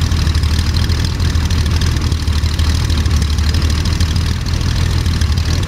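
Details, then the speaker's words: Jabiru 3300 six-cylinder with Rotec TBI in a homebuilt Sonex, about 50 hours, first start at full rich mixture, oil pressure 42: strong steady deep drone, even thrum, no misses or knocks; ran well. "I'm glad you noticed that sounded really good yeah sounded really good"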